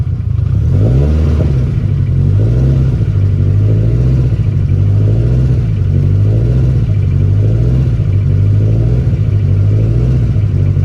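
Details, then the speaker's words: Freshly built ~1000hp turbo engine, first startup, new FIC 2150 injectors, ethanol-blend fuel, front O2 unplugged: loud deep idle swelling and sagging every couple of seconds; hunting idle, likened to a bad idle control motor, not confirmed. "Sounds like a Honda with a bad idle control motor."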